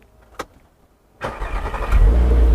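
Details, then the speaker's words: Mk5 VW Golf R32 whose timing chains read 1 on the computer (new-chain level): quick crank, clean catch, smooth steady idle with no chain rattle, scraping or exhaust popping; healthy engine. "so we know this is a good engine because it reads number one on the computer"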